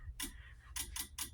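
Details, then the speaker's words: Fire alarm system test with a Wheelock DSM-12/24 sync module and synchronized strobes: quiet room, single click followed by a quick triple click; normal sync module relay clicking. "So now you really can't see it cuz there's no good way to show it, but all of these devices are in sync. And if you can hear, you'll hear the DSM clicking"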